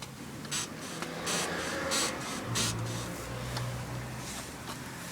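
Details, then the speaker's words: Jaguar X-Type rear suspension bush squeaking from road salt, wheel refitted and car bounced after WD40 and spray grease treatment: soft hissy squeaks about every two-thirds of a second, less sharp than before; still squeaking. "well it's still squeaking but it's much less sharp so if I get some more fluid in there sounds as though it's coming from this side"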